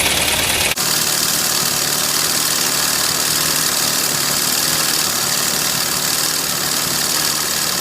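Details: Freshly rebuilt van engine after timing adjustment, seats and panels out, runs with a loud, busy note and an uneven knock after start-up; cause unclear.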